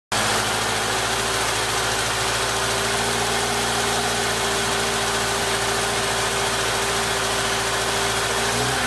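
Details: 1995 Jeep Wrangler YJ 2.5L four held near 1500 rpm: an uneven, lumpy beat under a steady drone. Cylinder one has a blown head gasket seal and about 70 psi compression.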